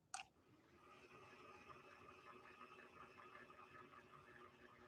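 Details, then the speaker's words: 1961 Singer 401A sewing machine motor after extra lubrication: soft, steady, low whir with light ticks, better than before but well short of proper speed; cause not yet found. "it's better it's better than it was but it's still nowhere close to what we should be getting"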